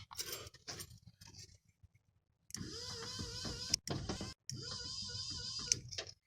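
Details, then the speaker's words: 1986 Ford F350 power window: two bursts of high wavering motor whir as the window motor spins freely when rolling up, plastic drive bushings inside gone; fixed with 11mm ball bearing mod. "they just spin. All the plastic. There's little plastic bushings inside there that are gone."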